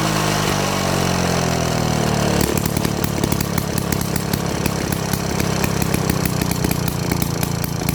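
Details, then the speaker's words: About 70-year-old Victa 18 two-stroke mower after a ground-up rebuild, with the ignition replaced by a Series 70 coil and stator: rapid, crackly firing holds a steady pace after a brief higher buzz. Running evenly and healthy. "Definitely sounds healthy. Hell yeah."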